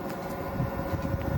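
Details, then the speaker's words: Samsung WD11M4453JW 11 kg front-loading washer-dryer after repairing a loose drum, spinning with clothes inside: even motor hum and low rumble, no knocking or banging, working normally. "já tá funcionando centrifugando com roupa dentro CTO paradinha só barulho dela funcionando mesmo ficou 100%"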